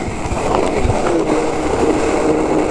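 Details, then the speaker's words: Penny board skateboard ridden after wet, dirty park riding: rough gritty rolling roar with faint squeaks; dirt in one wheel's bearing, wheel barely spins; new bearings may be needed. "That bearing got dirt in it or something, and it's just like, that one wheel, it just does not spin."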